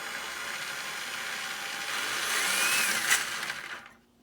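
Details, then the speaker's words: Traxxas Summit RC truck in low gear on LiPos, motor mesh just loosened from a grinding-tight setting, light throttle: small electric motor whirs up and spins down smoothly, faint gear whine, no grinding; near-correct gear mesh. "sounds pretty good so I'm going to turn it by hand all right so that could be a little tie"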